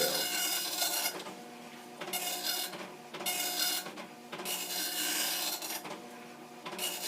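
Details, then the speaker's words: Commodore NX-1000C multi-font dot matrix printer, version 1.3, self-test repeating in a 125-line cycle until switched off, started by holding paper feed at power-on: rapid buzzing rasp in about 1 s bursts with short pauses per head sweep; clean, even, normal printing. "this test repeats itself indefinitely in a cycle of 125 lines. If I want to stop the test, I have to turn it off."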